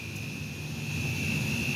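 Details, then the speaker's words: Natural gas leak at an MBTA bus yard filling station, cause unclear (hose or line): a steady high-pressure hiss with a thin whistle over low traffic rumble. "I'm not too sure if it's a hose or if it's a natural line um you can hear it kind of hissing out of there"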